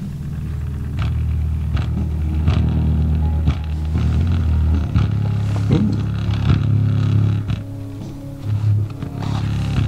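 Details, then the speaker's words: Coral BX-1500 6-way speaker woofer driven by test tones through the bass range: a rattly buzz rides on the tones; something in the cone is buzzing. "something in the cone in there that's what that buzzing is"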